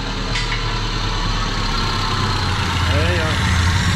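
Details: Chevrolet Vectra parked ten years: low, lumpy idle with uneven stumbling beat; misfire with dead cylinders because two fuel injectors were clogged and not delivering fuel.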